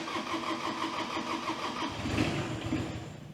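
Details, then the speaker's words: John Deere 17G mini excavator diesel after a fuel filter replacement, with the fuel pump bled for 2-3 minutes: it cranks fast and evenly, catches briefly, then stumbles and runs rough. Air is still in the fuel lines, so it may need 2-3 start attempts. "Still a little bit of air in it. That's okay. Might run a little bit rough. You might have to try and start it 2 or 3 times."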